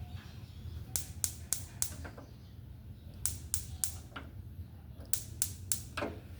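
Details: Igniter on a used gas stove, plugged into mains power (its indicator light no longer works), tested by pressing the knob: sharp spark snaps in quick bursts of about four at roughly four per second; normal igniter clicking.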